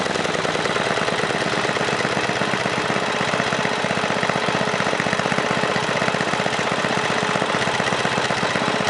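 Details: 1978 John Deere Tecumseh HM80 8 hp 318cc single-cylinder snowblower engine, restarted: steady, even firing at constant speed, no misses, knocks or surging. Normal running.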